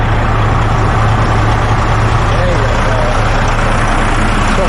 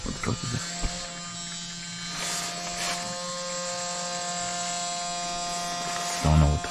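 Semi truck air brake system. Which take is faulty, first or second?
second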